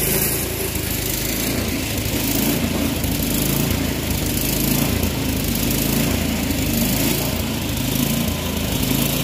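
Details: Troy-Bilt Storm 24-inch snowblower after clearing the air vent, adjusting the float tab and fitting a new spark plug: steady, even thrum with a slight lazy waver in speed, no misses or knocks; running properly without new carburetor parts.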